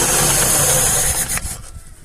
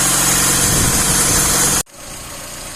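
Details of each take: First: Carburetted classic 1.5 with Solex carburettor, cold start in neutral on choke: runs briefly then dies; idle mixture too lean, to be richened. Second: VAZ classic 1.5 with rebuilt Solex 21083 carburetor, warming up after cold frosty start: after loud start, steady even idle about four beats a second; runs smoothly, drives well, no flat spots.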